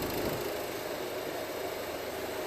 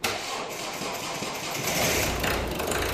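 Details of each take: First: After a fuel filter replacement and fuel-system bleeding on a diesel car, a brief miss on start-up gives way to a steady, even, smooth idle with no knocks, as fuel circulates without an airlock. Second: Car engine started right after a fuel filter replacement stumbles unevenly for a second or two, then smooths out. This is a brief misfire from an airlock in the fuel line after the new filter; afterwards it runs perfectly.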